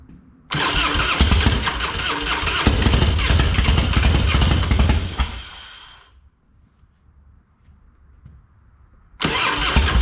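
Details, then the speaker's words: Harley-Davidson Fatboy that sat for years, with a dead battery and a plugged carb, tank drained and a Screaming Eagle kit fitted (heads, ignition, pipe): loud fast chugging cranking that nearly catches, fades, then cranks again. V-twin won't start; fuel leak found afterward. "not sure why it's not wanting to to go"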